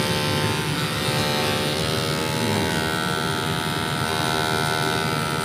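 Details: Noisy cordless hair clipper running before repair: harsh, rattly buzz from a loose blade assembly, over street traffic; the noise stops when it is held.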